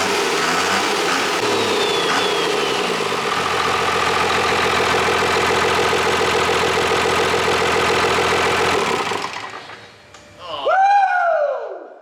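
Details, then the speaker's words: Cummins diesel swapped into a Cuda, first run with open exhaust (catalytic converters only, no muffler): loud clatter settling into a steady, even idle with no knock or miss, then a clean shutdown. "i was just thinking like how cool would be to have that sound here coming out of this body pulling a boat down the highway right"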